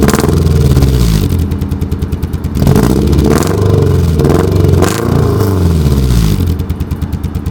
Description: 1991 240sx misfire do to distributor cap, this is the misfire at its best. maybe idles like this once every two weeks.